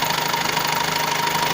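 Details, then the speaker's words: 2014 Skoda Octavia A7 1.6 diesel 105 hp, single-mass flywheel, idling: light even knock in the manual gearbox area that stops when the shift lever is moved or clutch pressed; cause unknown, owner suspects gearbox input shaft or clutch. "Шкода А7 кузов, 2014 год. Стоит стук. Не можем разобраться, в чем дело."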